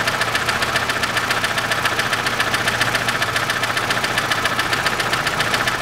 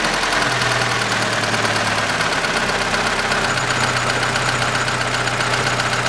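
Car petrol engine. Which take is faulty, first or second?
first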